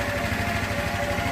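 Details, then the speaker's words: 1984 Honda Elite 125 scooter after auto choke (bystarter) replacement: steady, even putter at spec idle of 1500 rpm with no misses or surging; sounds good, cold start still untested; normal idle. "And it sounds good."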